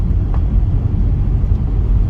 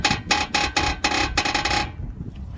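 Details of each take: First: Honda Accord CU3 driven over bumpy road after new lower suspension strut bushes and front tires: low road rumble, only dull pothole thumps, no creak, squeak or ball joint squeal; front suspension quiet. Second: Honda Accord CU3 front suspension, engine running, steering wheel turned at standstill: dry rhythmic creak, about four a second; owner suspects a worn lower ball joint, would be third replaced on this side.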